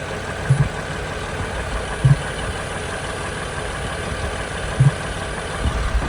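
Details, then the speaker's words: 2007 Ford Freestar 4.2L with a freshly rebuilt transmission, idling: low hollow pops and gurgling in the air filter box every couple of seconds; the idle air control valve is suspected and to be tried. "I want to hear this in the airbox sounds like a gurgling sound like"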